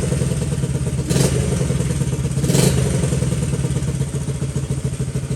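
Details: Honda XL70 K0 single-cylinder, just started in chilly mid-40s °F weather: fast, fairly even thumping idle with a couple of handling clunks; cold engine warming up normally.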